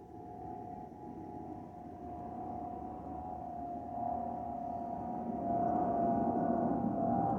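Over the steady cabin roar, a clear high whistle holds one pitch and swells slightly later; the usual harmless FOPP vent whistle.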